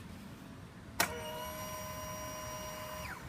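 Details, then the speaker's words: Honda Zoomer-X motorcycle that is hard to start or won't start: at key-on, a sharp click then a steady two-second whirring hum from the fuel pump motor; pump primes normally but the bike still won't start. "ปรากฏว่าก็มีเสียงการทำงานของมอเตอร์ปั๊มนะครับแต่รถคันนี้ก็ยังสตาร์ทไม่ติดอยู่ดีนะครับ"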